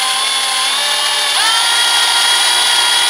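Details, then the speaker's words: Drill run at a slow, steady speed with pressure, overhead, through a steel window lintel: constant-pitch motor whine under load, cutting normally until the bit breaks through after about two minutes. "and that is the perfect speed nice and slow and you'll feel now there we go that's gone that has now pass through the steel"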